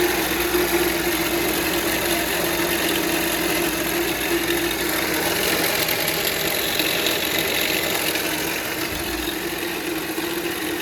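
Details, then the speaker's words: 2019 Volvo XC40, engine running: busy, uneven clatter and hiss from the front end, apparently between the alternator and the spring-loaded belt tensioner; front-end engine noise, cause suspected, not confirmed. "O barulho lá na frente, galera, depois que a gente desligou aqui, o barulho parece ser entre o alternador e o esticador ali, né?"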